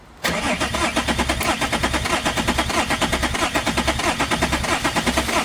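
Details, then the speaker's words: BMW 330d M57 diesel, fuel disconnected, starter-only cranking: uneven limping beat about 92 per minute with weaker strokes; low compression, down on two or three cylinders, suspected melted pistons after turbo failure, heavy blow-by. "two cylinders down I count that 1 2 3 1 2 3 1 2 3 it's down on two or three cylinder"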